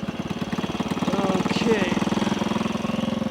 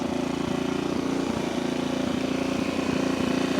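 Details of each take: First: 1964 Honda C200 pushrod single revived after sitting for years, carburetors cleaned, pilot jet was slightly clogged, kick started with fuel on: settles into a steady, even putter around three beats a second, no knocks or misses; idling cleanly. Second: 1964 Honda C200 single, revived after sitting for years and just back from its first ride: it putters quickly and evenly at about three beats a second, a bit fast for idle; the idle needs turning down.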